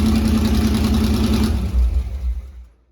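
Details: C3 Corvette V8, first start after fitting side-pipe headers (open headers): very loud, raspy, fast uneven idle before shutting off; idles high only when cold, owner suspects the choke, plans tachometer to check rpm.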